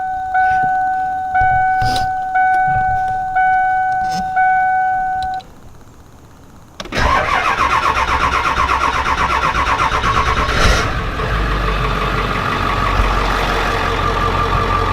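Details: 7.3 turbo diesel van after new alternator: repeated warning chimes, then cranks and catches into an even diesel idle clatter, no dash lights so charging; starts cleanly, though the belt was found off its pulley.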